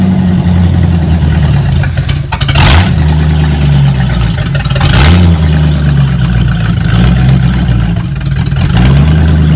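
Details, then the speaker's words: V8 with swapped-in Street Avenger carburetor cleaned with mineral spirits: loud deep idle hunting and surging every few seconds; rough idle, owner suspects float bowls still filling and solvent clearing, thinks driving will clear it. "i think the car just needs to be drove with that carburetor on um i think it'll clear out it's still not wanting to idle right"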